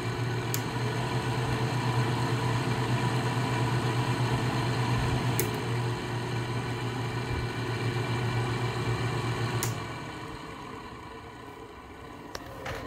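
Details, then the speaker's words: Goldstar 5,050 BTU window air conditioner, model WG5004, fan running: a steady droning hum with a faint throb about three times a second that eases off. Spin-down is fine, but the fan seems out of balance. "it's interesting how it makes that noise but it's like the spin down is perfect you can also see that it's out of balance or something i don't know"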